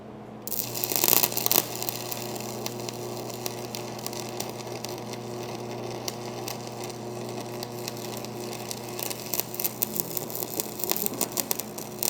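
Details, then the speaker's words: Old, cleaned-up IdealARC 250 AC stick welder running a 6011-type rod and burning through the metal: steady mains hum under an even, continuous crackle once the arc settles. Normal welding arc. "Did you hear how smooth that sounded though once the skill of the welder >> stopped being a problem and the welder kicked in?"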